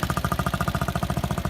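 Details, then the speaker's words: Water-cooled Chinese 250cc ATV/dirt bike, 140 hours, stock exhaust; muffled even single-cylinder putter at about fourteen beats a second with no knocks or misses; healthy idle, runs well and reliable. "but it runs pretty good after quite a long time, and it's been reliable."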